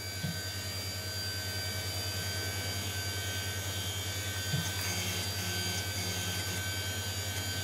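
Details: Apple floppy drive from a Macintosh Quadra 700, after cleaning, reading a MacOS install disk: quiet steady train of soft ticks over a faint hum as the disk spins; reads normally, though eject later fails.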